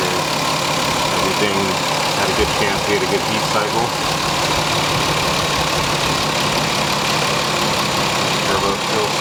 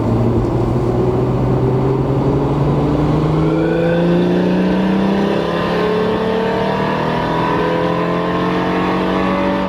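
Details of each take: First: Lexus IS300 2JZ with CX Racing turbo kit, hot idle after a long first city drive. No leaks seen; it smoked slightly on startup, which the owner thinks was oil on the exhaust manifold. Even steady idle with a smooth hum, no knocking, ticking or misses. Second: Lexus IS300 2JZ automatic with CX Racing turbo kit and EMU Black tune, first drive, full throttle in third gear: air-fuel ratio dropped to 11.8 against 12–12.3. Note climbs steadily with a slight ragged stutter; running rich and breaking up, likely slightly too much fuel.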